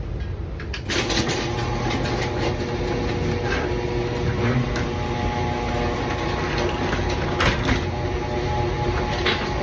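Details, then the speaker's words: Garage door after the corroded metal rollers were replaced with sealed-bearing nylon DURA-LIFT Ultra-Life Max rollers, before lubrication: steady opener motor drone and even chain rumble with no clatter or squeal, much quieter than before. "so as you heard it's much quieter now"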